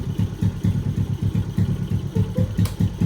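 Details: Yamaha Exciter 135 with built 62 mm engine, tuned, loud aftermarket exhaust: firm, even exhaust pulses about five per second with no misses or tapping; healthy idle.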